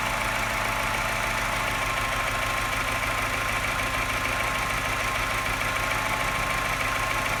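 Low idle with a steady light tapping, roughly three per second, and an uneven, slightly lumpy beat; symptom of a misfire, cause unclear.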